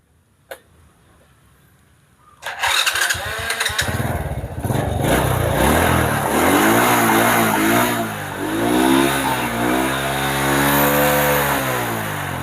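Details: Honda Supra motorcycle with a DC CDI and an aftermarket starter motor, after the battery was charged: a click, a brief starter whir, then it catches at once and revs smoothly; the hard electric starting was traced to the pulser.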